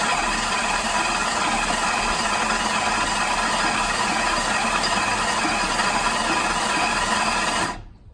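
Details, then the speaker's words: Flood-damaged salvage auction car on a cold day, cranking with a fresh hot battery: steady, even starter cranking with no rattle or clank. The engine turns over freely with nothing spewing from the spark plug holes. "Alright, so with a hot battery, she cranks on her own. Nothing spewing out of the spark plug holes."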